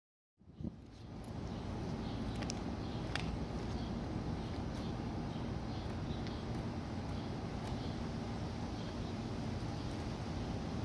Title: 2001 Suzuki SV650 Engine Misfire on Cold Start